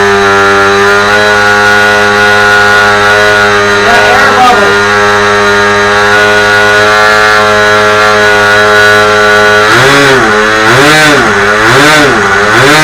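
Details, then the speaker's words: Telemaster 2000 model plane engine, first start and run: high, buzzy note holds steady, then blips up and down with the throttle and returns cleanly; normal running. "So, I think it had a little bit to do with just lack of no knowledge on this. I'm just ain't going to lie. That sounds great."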